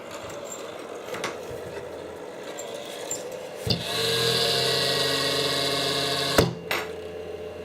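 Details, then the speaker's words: Creality CR-10S 3D printer: fans spin up to a loud, steady whirring hum with high hiss and fixed tones, then cut off; noise traced to the cheap power supply fan. "yeah it's this cheap power supply fam that's making the nois"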